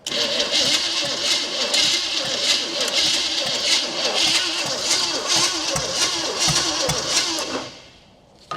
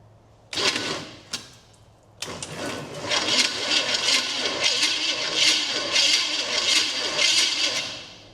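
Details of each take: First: 1972 Chevrolet Chevelle 350 V8 that had sat since 1982, cranked on its old points: starter churns about three beats a second with no catch or firing. No spark is suspected, and the points were then filed. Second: 1972 Chevrolet Chevelle with a high-compression Chevrolet 350 that had sat since 1982, cranked for the first time on a swapped battery because the old one read 10 V: starter whirs, even compression pulses, no binding; the engine rotates freely.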